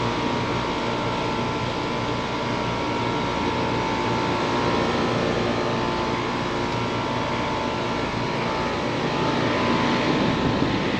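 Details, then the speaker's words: AC condenser just after replacing the swollen failed 45/5 run capacitor: steady fan whoosh over a smooth compressor hum with no clicking or buzzing; the unit is running normally again. "Alright, look like it's running good. I'm gonna go ahead and check pressures while I'm here."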